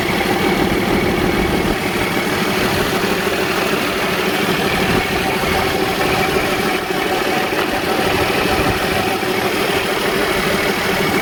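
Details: Cummins diesel in a Freightliner truck after fuel pump replacement for a no-start: steady, even idle clatter with no misses or knocks; running healthy.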